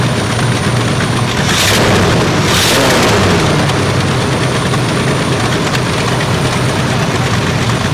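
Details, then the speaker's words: 1979 Ford F150 351M V8 petrol idling in neutral after correcting two swapped plug wires in the firing order, which had caused a miss. Steady, even low rumble, much smoother, with an occasional slight stumble and an exhaust leak. Smooth idle. "Smooth running motor right there. That's what it should run like."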